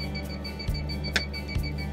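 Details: 1989 Champion Ultra Star motor home propane detector: rapid steady high-pitched beeping repeats nonstop; alarming because it has not been reset.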